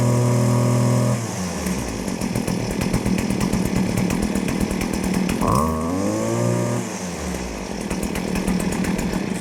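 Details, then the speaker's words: Stihl FS56RC-E two-stroke trimmer warmed up at full throttle, then let off to idle and revved again; steady high scream that drops and picks back up cleanly, idling correctly. Normal. "So right there, you saw that it idled correctly. I went ahead and gave it a little more fuel, listened to it one more time, make sure it was still going to idle correctly, and looks like we're good to go"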